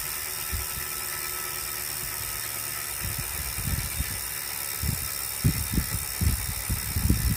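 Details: Wahoo smart trainer still noisy after cleaning, after 30 minutes warmup: irregular low thumps over a steady hum, about once a second and growing busier; internal knocking, cause unclear.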